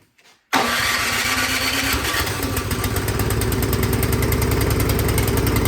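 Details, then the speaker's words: Craftsman snowblower engine that started then died, after spraying carb cleaner into the main jet without removing the carburetor: catches, then surges and hunts unevenly; something still clogged in the carburetor, fixed by removing and cleaning it. "So it's hunting there, it's surging. So that tells me that something is still clogged up in that carburetor."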